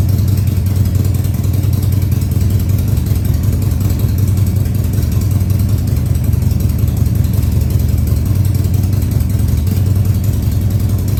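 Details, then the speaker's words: Harley-Davidson Sportster 1200 Custom (stated as 2000 and 2003), first start after sitting about six years, run at high idle: deep, even V-twin rumble with no misses or knocks; running normally. "now i'm going to try i'm going to try starting it and getting it to idle for you maybe high idle for now"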